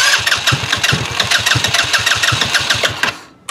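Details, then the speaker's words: 2018 Trailmaster 150 XRX, cranked with brake pedal pressed: chugging about five times a second with weak sputtering that never catches, then dies; known carburetor fault, carburetor being replaced. "But if you push on the brake pedal, it'll crank, or it'll try to crank. Now you hear that? This thing will sputter and try to run, but it"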